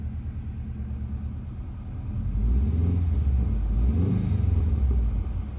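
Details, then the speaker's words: 2006 Subaru Outback XT turbo started after Motor Medic motor flush and oil change; steady low rumble rising smoothly with revs, no knocks or ticks; healthy and even. "Sounds good."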